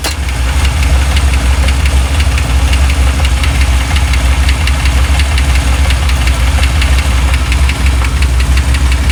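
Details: 1987 Chevy C10 V8 just got running, idling: low rumble with a sharp metallic tick about once a second that changes pace at one point; cause unknown.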